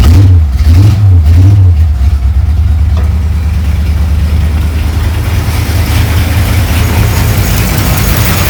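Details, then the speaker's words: 1935 Ford 3-window hot rod with a 327 V8, six 2-barrel carbs and a 4-speed, after the loose throttle-shaft linkage keys were thread-locked so all carbs trigger together: it answers three quick blips cleanly, then settles to a steady, even idle. "okay so safe to say it works I'm just gonna maybe go through a few more of them and just double check it but I seem to be happy with the progress of that so far so everything seems to be working as one"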